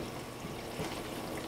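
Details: Frigidaire LFBD2409LF2B dishwasher in self-diagnostic test mode, step 5 WASH HEAT: wash motor and heater activated for a 75-second test. A steady hiss of spraying, sloshing water over a low motor hum shows normal wash with the heater running.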